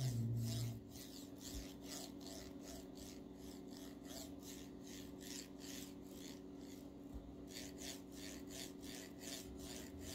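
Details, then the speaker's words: Formbot (Vivedino) MGN9H linear rail block on a Voron 2.4 R2 3D printer kit: rapid gritty rasping when the block slides with load on one side, smooth with load on the other; cause unknown, replacement block later removed the noise. "yeah that's kind of sound I don't know what it is but if I apply the load onto this side of the plock it runs really smooth nothing wrong with it I don't feel anything but if I apply onto this side I feel there this feels weird"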